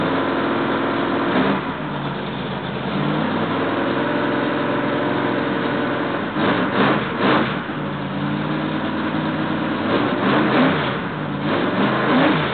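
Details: Freshly rebuilt L88 427 Chevy V8 from a '66 Chevy II, hydraulic roller cam, aluminum heads, first start-up: high steady lumpy idle with sharp rev blips settling back evenly, timing roughed in near 35°; healthy break-in idle.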